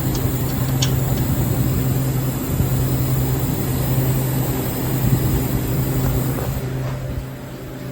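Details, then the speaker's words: Walk-in cooler at 50 degrees: constant rushing hiss of refrigerant over steady low compressor hum; condenser fan not running and sight glass very empty, low refrigerant charge. "You hear the lovely rushing sound of walls of refrigerant."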